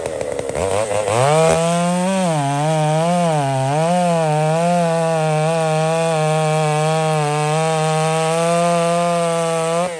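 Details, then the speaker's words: Poulan 655 chainsaw cutting cedar firewood, carburetor deliberately richened after seeming a little lean, to be leaned out later; revs up with a wavering, burbly note settling into a steady high scream: rich mixture. "I fatten it up a bit here, friends. I just thought that might have been a little lean. I actually lean it out again here in a minute, but I just fattened it up."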